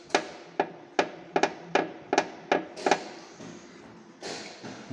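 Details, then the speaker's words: Dacia Duster front end over bumps: sharp hollow knocks that persisted after replacing strut top bearings, traced with the bumper removed to the bumper reinforcement beam, although everything was tightened. "что это усилитель шумит все затянуто все протянуто"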